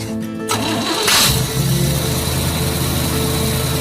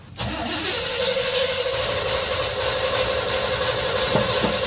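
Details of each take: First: Jeep CJ-8 Scrambler after replacing the dead fuel pump: brief cranking, then it catches quickly and settles into a steady idle without stumbling; good start. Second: Jeep CJ-8 Scrambler neglected for about a decade, carbureted, choke set: starter cranks steadily but it never fires; no gas reaches the fuel filter and the mechanical fuel pump appears dead.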